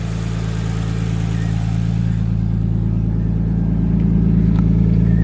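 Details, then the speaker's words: Nissan R33 Skyline RB engine after fitting a ProFlow LS alternator kit to fix voltage loss. The idle is a steady, even six-cylinder drone with no misfire and no belt squeal or chirp. Sounds healthy and runs nicer. "All right, Alright, so she fired up and there's no misfire, which is nice. Nice to hear."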